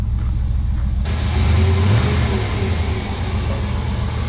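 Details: 1996 Chevrolet Suburban, 5.7 Vortec V8, 4L60E, hot engine idling unevenly with a lumpy beat of three or four per second; long-running intermittent misfire, plug leads pulled at distributor to find cylinder, owner suspects possible head gasket leak, unconfirmed.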